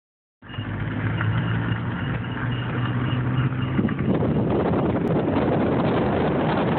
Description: wierd squeak coming from passenger front wheel area